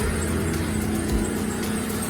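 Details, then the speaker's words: BMW E30 M44B19 idling while the wheel is turned, after replacing the power steering pump with a new Stelox unit and ATF Dexron II instead of green fluid; no whine or groan, pump quiet, steering healthy. "Nasosul nu se aude bisa și rolicul cred. Dacă mergi de un volan, nu se aude"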